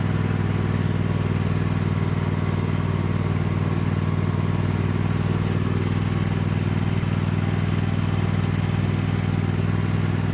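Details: Cub Cadet lawn tractor, badly neglected, running under load on a test drive after installing an aftermarket knockoff carburetor; even, steady thump of about four beats a second holding a smooth pace. Runs far better than expected, normal.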